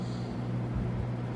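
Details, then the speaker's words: Vintage GE F12 W22 fan after servicing, running on low speed: low steady hum with a light buzzing rattle from the loose grill, which stops when a hand is pressed on top. It may need grommets. "So the buzzing you're hearing right now is grill rattle. If I put my hand on top, it stops."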